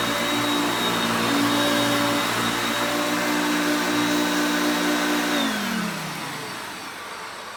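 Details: Hoover Concepts self-propelled upright vacuum on luxury carpet with the drive engaged, moved back and forth; motor pitch changes with the gears. Steady motor whine holds an even pitch, then winds down smoothly at switch-off; picking up well, normal running.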